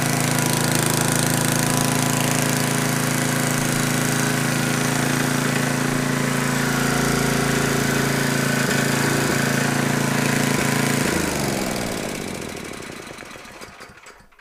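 The small engine holds a steady, even beat at constant speed without stumbling, then coasts down smoothly; it sounds healthy.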